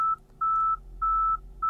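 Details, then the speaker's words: Tesla Model Y with factory trailer hitch and a bike rack mounted, shifted into reverse before trailer mode is on: rear parking sensors beep steadily, under two per second, warning of an obstacle behind. "can hear the beeping so it's kind of freaking out at ya"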